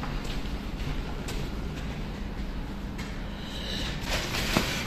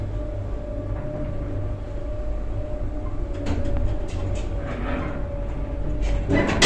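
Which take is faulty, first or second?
first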